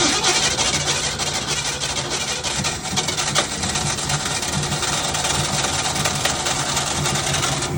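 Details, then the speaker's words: 1965 Ford Mustang project car, Edelbrock 1405 four-barrel carburetor, before rebuild, briefly idling after fuel filter cleaning and new fuel line: ragged, uneven, hissy, spitting idle with no steady beat; carburetor needs rebuilding. "Yeah, I shut it off. Carb definitely needs to be rebuilt."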